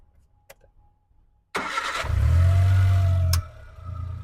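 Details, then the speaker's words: Fuel-injected car engine starting on petrol: short crank, fires straight away, briefly flares, then switches over to gas by itself and drops to a smooth, steady idle; clean, healthy start. "Mana moshamiz benzinga zavod bo'lib, o'zi srazi gazga ham o'tdi."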